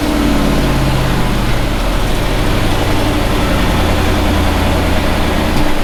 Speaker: pretty decent all right there we go the joys of a push rod engine